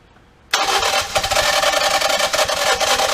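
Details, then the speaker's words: Ford Escape 1.5 EcoBoost with P0301/P0302 codes and suspected water intrusion, cranking after new plugs: quick, even cranking at about 3.5 turns a second that never catches; exhaust camshaft found slipped in its sprocket/phaser, out of time. "all right so uh i went ahead and put the plugs in it and still won't start"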